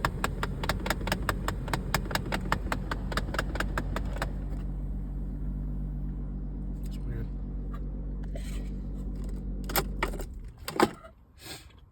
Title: Dodge pro master 2014 is making this weird noise #electrician #automobile #dodgevan #workinghard